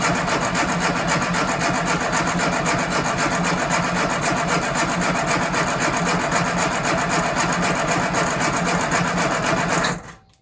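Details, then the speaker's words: Freshly installed 1275cc classic Mini engine cranked about ten seconds with coil HT lead disconnected to check oil pressure, even churning without firing; engine sat a while since priming and bench test, oil pressure came up. "Okay, so it did take a bit of cranking, but I did get some oil pressure, so that's good."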